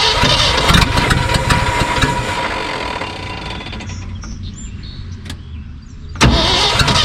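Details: 1974 Ford F-750 dump truck sitting 4–5 years, rebuilt carburetor, spark confirmed: three to four even cranking beats per second drag on for several seconds, then it catches with a sudden surge; extended cranking before starting.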